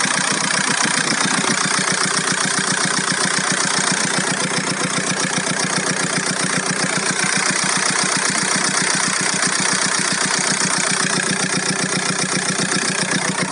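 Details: VW Golf 4 1.9 TDI 115 4Motion diesel at idle: hard idle with sharp regular clatter about two and a half per second throughout; owner hears a strange engine noise, source not pinned down.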